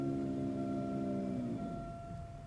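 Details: 2005 Buick Park Avenue transmission, heard from inside the car: steady high whine over the drivetrain hum, lower tones sagging as it shifts to second; transmission noise on the 1-2 shift.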